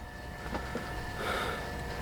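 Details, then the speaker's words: ALDE hydronic heater in a TAB trailer, working again after a click and a fault screen, possibly a stuck fan that freed itself: a steady fan hum with an even tone and no scraping, burner lit; normal heater operation. "I told you I heard it click, and I thought it just faulted out because now we have this on the screen, and then I can hear the fan, and we just went outside and checked, and it's burning."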